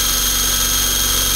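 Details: eFlite Blade 400 flybarless RC helicopter after rebuild, ground test: steady even high whir from motor and blades, no wobble or rattle; smooth spool-up, rotor sounds balanced, blades tracking, still to be checked in the air.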